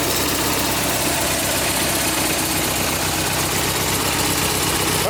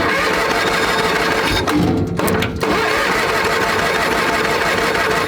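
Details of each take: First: A tractor that sat all winter, now running on a GoldenMate 12.8 V 20 Ah LiFePO4 jump-pack battery, idles while warming up with a steady, even single-cylinder putter and no knocks or stumbles; this is normal. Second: A tractor that sat all winter, cold-started on a GoldenMate 12.8 V 20 Ah LiFePO4 battery, cranks steadily and strongly but never fires or picks up speed. Possible fuel starvation; the owner plans to remove the cover and spray fuel in.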